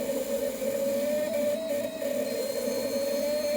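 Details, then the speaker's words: Used K-Jetronic (CIS) fuel injector on ASNU test bench: steady high-pitched scream with slight wobble as it cracks open at about 2.4 bar, closing near 2 bar without leaking; crack pressure far too low compared with the rest. "It's just got a really low crack pressure compared to the rest."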